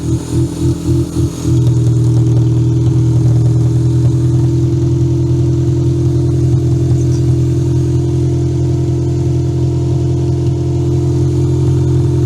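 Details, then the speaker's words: Toyota Camry demolition derby car first running after a cut security-system wire was fixed, started with a booster pack; a few stumbling catches, then a loud, strong, steady even run with no misses or knocks, running really good. "Garbage lives! I say that runs good. Steven agrees. That runs really, really good."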